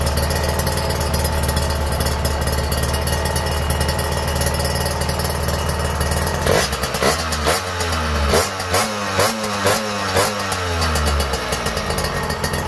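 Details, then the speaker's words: Refurbished Kawasaki Ninja R two-stroke after engine rebuild, carburettor tuned and exhaust fitted: steady idle, then crisp blips climbing and falling cleanly without stumbling; judged smooth. "Ini udah kita tuning kita langsung coba Cheek sound ya Suaranya kayak gimana ya oke halus"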